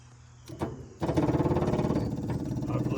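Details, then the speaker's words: 1966 Chevrolet truck, not run since 1996: an electric fuel pump wired to a battery primes the fuel system, with quick steady ticking at about three to four a second as it starts pulling fuel. "to start pumping some fuel up. Took forever last time. All right. Sounds like it's pulling it."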